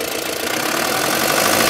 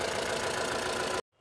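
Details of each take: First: Mahindra Bolero Camper 4x4 pickup diesel with EGR fault, just started at idle: sharp, regular metallic knock about 220 per minute; oil is low, with carbon and metal debris in it. Engine knock from metal debris in oil, before an oil change. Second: Mahindra Bolero Camper 4x4 pickup diesel after repair of EGR fault P01940C, reduced pickup and engine light, previously shaking: even idle with steady low clatter, no shaking or stumbling, before shutoff; runs smooth.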